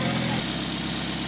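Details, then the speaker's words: Nissan Wingroad idling after repair of a cranks-but-won't-start fault (no injector pulse or ignition coil signal, cam and crank sensor wiring replaced): smooth and steady at normal rpm with no missing. Normal idle. "तो दोस्तों, गाड़ी अब बिल्कुल ओके है, कोई मिसिंग नहीं है, कोई कुछ नहीं है, बिल्कुल नॉर्मल आरपीएम पर खड़ी हुई है।"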